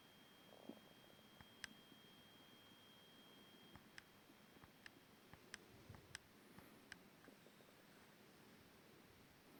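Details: FP-GBC kit handheld with volume at 0: faint hiss with a thin high tone from the screen backlight, inaudible at brightness extremes and loudest mid-range, shifting as brightness clicks change; owner assumes PWM frequency.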